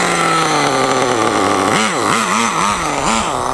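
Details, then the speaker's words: Rebuilt RedCat Tornado S30 RC car, cold-blooded to start: buzzy single-cylinder engine idles very slow and slightly sagging, then blips on throttle; idle set too low and running a little rich, making it hard to get going. "it's running a little bit rich it's just part of the reason I had a hard time getting going"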